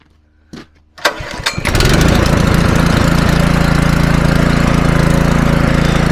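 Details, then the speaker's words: Scrap petrol pressure washer, seized pump, throttle about halfway, brake cleaner sprayed in as starting fluid: a couple of pull-cord tugs, then the engine catches and settles into a steady, even run; normal start and idle. "There you go, it actually runs alright once you get it going."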